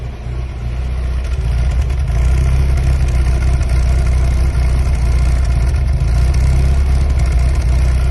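Engine idles unevenly with a lumpy, irregular low beat and wavering speed instead of a steady even run; rough idle, cause unclear.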